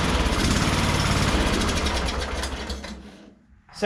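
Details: Craftsman ZTS7500 zero-turn with Kohler Courage single engine, after correcting a very loose valve, run on carb cleaner: chugs evenly at quick idle about three seconds then dies; no knock or rattle, sounds healthy, carburetor cleaning next.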